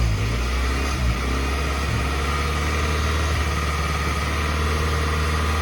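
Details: 1991 Suzuki Swift 1.6 AWD saloon, carburettor: fires and holds a low steady idle once fed fuel by hand; owner suspects something blocking fuel into the carburettor, fuel and pump possibly okay, not confirmed.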